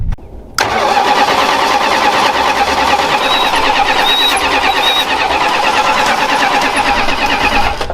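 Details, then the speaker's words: 46-year-old Plymouth Volare 318, sat 20 years in desert, cranking on its own fuel tank: starter turns about three times a second for eight seconds without catching, not pulling fuel; suspected tank sock or rubber line at tank. "We're out of fuel. not out of fuel. It ain't pulling it though."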